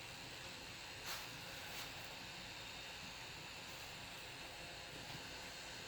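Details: Alienware Aurora R7, 850W PSU with reference GTX 1080 under gaming load: steady high hiss with faint ticks, occurring only under graphics load; cause unclear.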